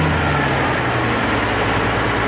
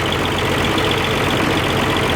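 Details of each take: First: Oliver 1550 diesel tractor in neutral after the sticky number 6 injector was pulled and rebuilt (it had been wet stacking and running cool). Steady, even idle with a smooth regular beat, no knock or miss; sounds much better after repair. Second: Oliver 1550 diesel tractor after reinstalling rebuilt number six injector: uneven hollow idle with one cylinder not pulling; ports six through three warming but number one not running, exhaust port cold, injector suspected and to be pulled.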